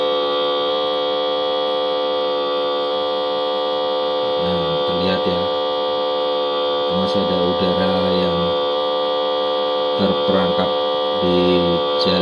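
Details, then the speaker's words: Printer head and cartridge service vacuum machine with upgraded box cleaner, fluid circulating while trapped air clears from the hose: steady electric pump hum with a faint pulsing beat and occasional gurgling; normal vacuum pump running. "nah ini sirkulasi ya jadi berputar cairannya berputar berputar"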